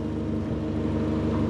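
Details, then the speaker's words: Ford Fiesta with a suspected blown head gasket after Steel Seal treatment, idling hot at 105 °C: smooth idle with the electric cooling fans cutting in; the temperature then drops without coolant overflowing. "And the fans, and there we are, guys. The fans are kicking in. We're 105 degrees on the diagnostic."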